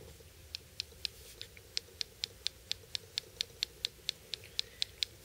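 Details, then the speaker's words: HEST/F 2.0 folding knife, lightly used: crisp tiny clicks about four a second on opening, from minute blade play at lock engagement that wasn't there at first; slight pressure on lock bar stops it. "That is from a minute amount of blade play. That was not there at first."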